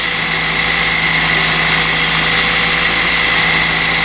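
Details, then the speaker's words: 20-year-old Toyota, about 250,000 miles, no maintenance records, possibly bad fuel, at startup idle: constant high whirring tone over the idle; rotational noise, owner suspects pulley, bearing or original timing chain, unconfirmed. "you can hear a little bit of a sound from this general area over here which is definitely rotational"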